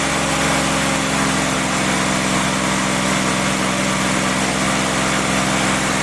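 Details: Freshly rebuilt CJ5 snowblower Jeep F-head four-cylinder, original cam, held at fast idle for break-in: steady even run with no knocks, ticks or misses; normal running, only a small coolant leak at the block drain cock noted.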